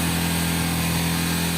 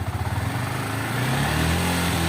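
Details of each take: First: Yamaha R15 high-revving single at about 5500 rpm with a fine metallic buzz like vibrating aluminium foil; rear footpeg rattling, stops when the foot is placed on it; fix involves the footpeg pin. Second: Yamaha R15 revved to about 5500 rpm after fixing a metallic buzzing from the rear footpegs: revs cleanly and holds a steady high hum with no buzzing or rattling; footpeg noise gone, normal running.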